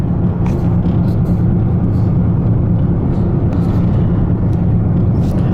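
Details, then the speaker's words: 2006 Chevrolet Trailblazer driving at road speed; deep, steady low rumble from the front under road noise, worse when turning one way, suspected worn wheel bearing. "now i do have a noise up front sounds like the wheel bearing you can probably hear that rumbling if i turn it one way it's worse turn the other way it doesn't get as worse but this way hear that oh it's pretty bad so we gotta fix that"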